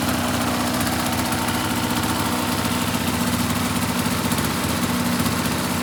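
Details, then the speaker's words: 2004 RMK 800 two-stroke sled with SOP exhaust, Boyesen reeds; steady fast idle burble, slightly uneven patter but no knocks or misses; healthy idle. "it actually sounds despite 120 currently on one hole it sounds pretty freaking healthy"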